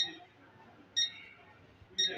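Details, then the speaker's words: RFL 40 kg digital weight scale gives short, high beeps about one second apart when switched on, but the display stays blank; the cause is a failing battery, which is removed to fix it. "এর সমস্যা হচ্ছে switch on করলে pick pick করে শব্দ হয় কিন্তু কোন লেখা দেখা যায়"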